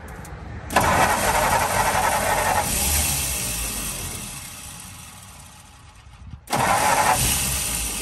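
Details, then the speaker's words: 1948 Ford F-5 ex-ice truck, 45 years unrun, restarted on choke: engine catches, runs rough and weak, sags toward stalling. Three carburetors tried, including a known-good one. Once warm or revved it loses compression and power and dies under clutch load. "the old girl running she won't really drive I think that engine just doesn't have enough power anymore"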